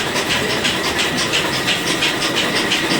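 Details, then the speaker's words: Flour mill (chakki) switched on by MCB and running empty: even hissing whir with a soft pulsing beat around three per second. Normal running with only slight vibration. "इतना सा vibration तो देखो हमारी भी कर दी है, देखो हल्का फुल्का वाइब्रेशन हमारी भी कर रही है।"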